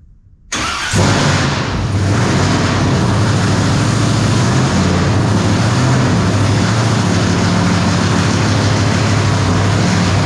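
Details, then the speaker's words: V8 after fixing a ground wire: catches at once and settles into a steady, even rumble with no misses; normal idle, hitting on all eight. "well I think we're hitting on all eight now"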